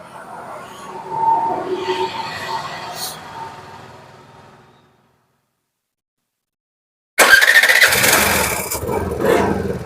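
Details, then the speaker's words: Suzuki Access 125 BS6 scooter, idle air valve closed too far after fixing high racing rpm: runs only while revved, stalls as soon as throttle is released, then refires; valve must be backed out. "இப்ப வந்து race கொடுத்தா மட்டும்தான் வண்டி ஹைலிங் race ஆகுது இல்லன்னா accident விட்ட உடனே அப்படியே வந்து ஆப் ஆகுது."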